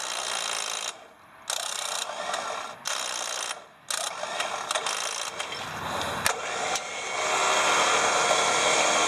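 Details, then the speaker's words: Smittybilt winch on a Jeep TJ: rapid clicking and stuttering bursts as the solenoid chatters and fails to engage, before the motor finally catches and whirs steadily; owner first suspected internal relays, not the cause. "problem is I went to go pull somebody out and I was having problems with the relay that was kicking in and engaging and then tonight the relay was making some funny noi"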